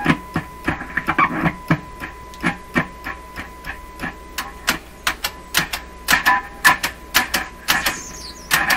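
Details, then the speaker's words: Nordmende Caruso console radio with intermittent trouble; irregular clangy crashes and clicks about twice a second through the speaker as the chassis is jostled; reverb spring rattling, switch mechanism also suspected. "what is going on looks like you can hear the spring the spring inside"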